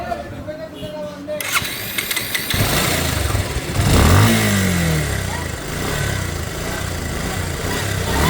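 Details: Bajaj Pulsar (double disc) motorcycle, about 16,090 km, brought in for service: catches after about two seconds, revs up, then drops to an uneven, rough idle; abnormal engine noise, cause unknown.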